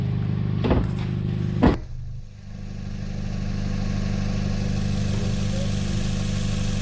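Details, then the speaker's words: Small Korean-made sedan running on regular engine oil before the olive-oil swap, control test: deep even engine note with one quick throttle blip, settling into smooth steady idle; normal revving. "i think that's i think that sounds perfect so there's a great control test for you"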